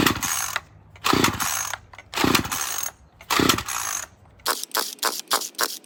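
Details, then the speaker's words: Murray M2500 string trimmer that sat outside for years, on its old carburetor before repair: four slow recoil pulls with ratchet whirr, then a short burst of quick popping that dies out. Hard starting; it previously ran but bogged badly. "Yeah, she ain't running right, so let's go back in the shop and fix this thing up."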